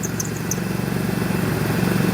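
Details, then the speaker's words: Engine idling with the squeak gone after spraying water on the rib side of the serpentine belt, which points to pulley misalignment or a bad pulley rather than belt tension; the idler pulley is suspected. "and as you can see the sound went away if the sound got louder that means you would have a belt tension issue and that means your tensioner is probably bad"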